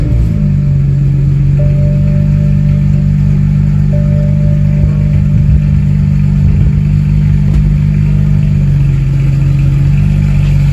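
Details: BMW 335is after swap to a replacement N54 engine, running on old bad fuel after clearing a cylinder six misfire code: steady, smooth low idle with a deep hum and no misses; idle is good but it would stall if driven.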